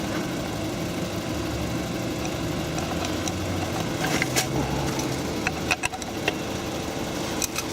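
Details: VW Golf V that cranked but wouldn't start after the battery was connected in reverse, idling after its faulty ECU was replaced with a cloned scrapyard unit. Steady, even idle with no misses or knocks. Normal idle.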